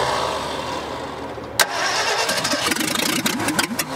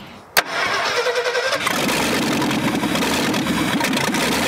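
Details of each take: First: 1965 Ford F100 buried over 50 years, first start attempts with heavy pedal pumping: cranks, catches briefly with uneven sputtering pops, then dies; seems fuel-starved or too much air, likely needs choke; hard starting, sputtering. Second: 1965 Ford F100 buried over 50 years, running with no exhaust, choke not yet sorted: starter catches, then loud, raw, even idle with no misses or knocks; sounds good; normal idle.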